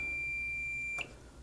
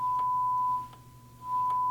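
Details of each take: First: Marantz 2245 receiver, multimeter diode test on the bridge rectifier after an odd positive filter capacitor reading: one steady high beep about a second long; shorted bridge rectifier on the positive rail. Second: Marantz 2245 receiver, bought for parts from eBay, after cleaning: steady mid-pitch test tone, brief dip switching channels, equally clean on left and right; no crackle, controls behaving.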